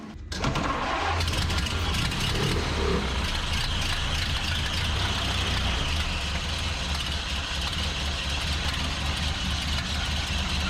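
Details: 1929 Ford Model A Tudor sedan, 75,000 miles, converted to 12 volt with GM alternator, after snugging the loose belt: engine settles into an even, steady idle with no belt squeal or slap; sounds healthy.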